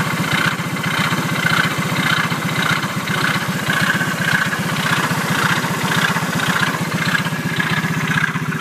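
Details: Engine idling with a rapid, steady firing beat and a light tick recurring about twice a second; the noise began after an incident in which the engine suddenly stopped. Cause unknown.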